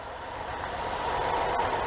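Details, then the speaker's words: 2006 Chevy HHR 1LT: quiet, even idle hum with faint steady whirr, no knocking or ticking; owner calls it a nice and quiet engine, normal idle. "you listen to it jeepers nice and quiet engine"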